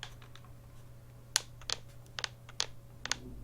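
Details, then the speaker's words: HHKB Professional 2 Topre keyboard: dry, irregular plastic clicks and creaks as the shell is pressed, some doubled, over a faint hum. The ABS case is slightly warped and flexes, a common complaint with this model. "because if you can hear that that's because the case is actually slightly walked it's not much that you can really do about it because that's just the way that the ABS shell is"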